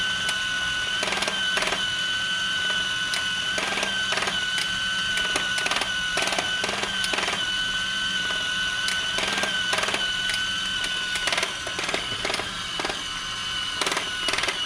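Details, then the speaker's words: Discovery Mindblown 4-cylinder model engine kit, just assembled, electric motor driving it: steady thin motor whine broken by irregular clicking chatter about twice a second; drive gear is skipping teeth, cause not yet found. "This is it running. My gear is skipping a little. I'm going to see if I can fix it."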